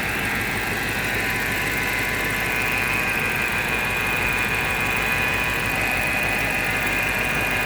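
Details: BMW X5 4.8i with N62 engine running: a thin, steady high whine or moaning sound over the general mechanical noise. Source not yet identified.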